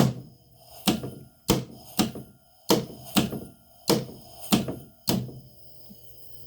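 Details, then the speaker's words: Lockout relay bypassed with a jumper on an HVAC cooling circuit: heavy clunks at irregular intervals, about one a second, as the compressor slams off and on each time pressure drops and recovers at the low-pressure switch; short cycling. "that's your compressor banging off and on guys low pressure pressure boosts back up low pressure pressure goes back up low pressure"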